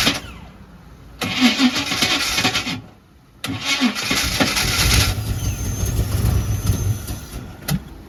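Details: Buick Regal tested with race gas poured in, in neutral: two bursts of fast, ragged cranking, never catching; afterwards fuel found pouring in excessively once the fuel pump is switched on. Cranks but won't start.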